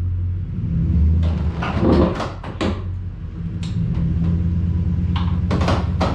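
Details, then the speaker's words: Bass boat tandem-axle trailer before Dexter EZ-Flex hub kit install, turning tightly into garage despite recent lubricant spray: low rolling rumble with clustered irregular creaks and sharp pops; worn suspension bushings and shackles. "so not pretty not as bad as it can be because i just recently sprayed some uh some lubricant on there to uh get it to stop crinkling poplin going down the road"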